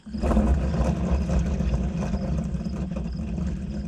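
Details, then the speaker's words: Caterpillar RD4 antique transmission bearing (possibly pinion bearing) removed during rebuild and spun by hand: gritty, uneven grinding rumble over worn, pitted races; bearing is toast with excessive play, sarcastically presented as "normal" bearing sound. "Okay, they're supposed to sound like that. Real bearings sound like that. Don't fall for the Big Bearing scam."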